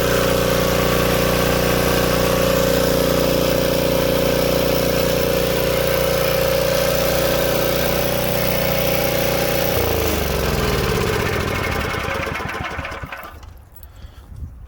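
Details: Old Tecumseh-powered generator revived after years outdoors in rain and snow: even, unwavering drone holding speed for ten seconds, then a smooth wind-down at shutdown; running healthy.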